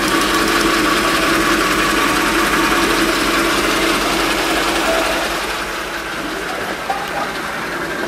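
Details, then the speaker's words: Mercedes-Benz G500L (W463) V8 at idle: a light, quick tick about four times a second on top. It seems to come from low down at the belt-driven accessories, possibly a loose serpentine belt bearing, pump or compressor, not the engine. Cause unconfirmed. "So the serpentine belt has probably got some loose, maybe a loose bearing in there. There's a bit of a ticker and it sounds like it's coming from down here."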